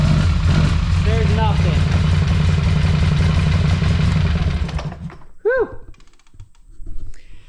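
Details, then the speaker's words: Polaris Sportsman 850 XP ATV running rough and smoking heavily: a deep, lumpy exhaust beat that stumbles unevenly and dies away; compression tested low, 140 psi rear and 150 psi front against a normal 210–250 psi. "you hear that it runs but she's not running well and she does smoke quite a bit whether the camera picks that out or not"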